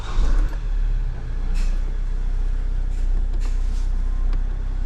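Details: 2013 Vauxhall Mokka 1.7 diesel after clutch and dual mass flywheel replacement that cured a whole-vehicle vibration: steady, even low idle rumble with no shudder or knocking.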